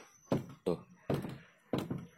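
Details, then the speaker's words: Car door with central/power door lock, latch tripped closed (e.g. by a child pressing it): several dull thuds as the door is pushed and slammed, each bouncing back with no latch click; door cannot be closed. "jadi teman-teman pintunya tidak ditutup yah walaupun sudah ditetapkan namanya diteken di banting-banting juga ini tuh nih bunyinya"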